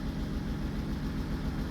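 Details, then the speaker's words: Car at idle just after fitting a new welded exhaust line: low soft steady rumble, no rasp, drone or blowing leak; very quiet, exhaust in good order. "Ça fait pas de bruit du tout. Il y a plus de bruit."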